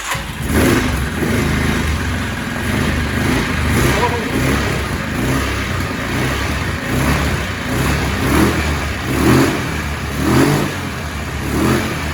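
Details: Yamaha Kodiak ATV left for dead behind a shed, revival attempt with key on, spark and oil checked, fuel shot given, carb bowl had been short of gas: single-cylinder engine catches and blips in uneven bursts, revving up and dropping back; engine running and revving.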